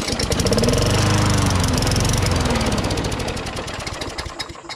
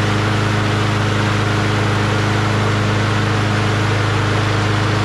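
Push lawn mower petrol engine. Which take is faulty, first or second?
first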